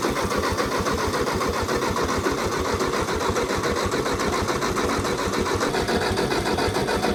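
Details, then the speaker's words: Old Ford Jubilee half-track tractor, sat 5 years, on borrowed battery with ether: starter turns engine in steady chug, three to four beats per second, never catches; carb or weak spark suspected. "Still should have tried to fire, even if it is the carb. Might have a spark issue. There was a very weak spark."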